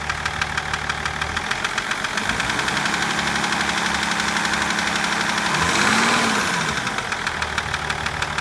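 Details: BMW M57 diesel at idle: sharp, fairly regular knock about three times a second over the running engine; the knocking reportedly started at about 240 km/h.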